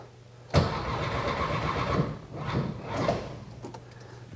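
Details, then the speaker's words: First start of a new 1600cc engine in a 1968 VW Karmann Ghia, replacing one that spun a main bearing: it catches suddenly, then surges and dips instead of settling, misfire-like; rough running, owner suspects ignition timing set too far back. "let me check timing can't be that far off it's hitting like it's um well time's off maybe a timed it too far back"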